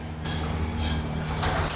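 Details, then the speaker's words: Dry-contact garage door opener automated with a Konnected GDO White, closing on command after a 5-second pre-close warning; low motor hum with bursts of track rattle and light squeaks as the door travels down; normal closing. "So when I press close, you'll hear and see the pre-close warning start, and then the garage will begin to move. And then in 5 seconds, the garage starts to go down."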